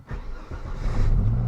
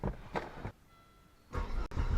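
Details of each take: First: 1996 Volvo 850 after battery replacement: brief crank, fires straight away and settles into a steady low idle; starts and idles normally. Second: Volvo 850, after battery replacement: starter cranks the engine in a steady chug but it won't start; the injector relay isn't heard clicking.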